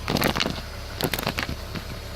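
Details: BMW E46 rear differential clunk: short bursts of dull clunks and rattles from the rear over a couple of seconds; owner doubts the diff bushing is the cause.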